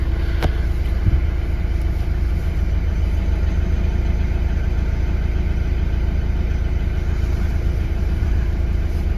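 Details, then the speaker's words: Hyundai i30 after a part in the steering column was replaced to fix a steering knock on rough roads: steady low engine rumble with no knocks or clunks. The owner later reported it stayed quiet. "після заміни власник вже довгий час їздить на автомобілі давав відгук свій сказав що нічого не стукає тепер тиша на поганій дорозі коли їхати вже нічого в кермо не стукає"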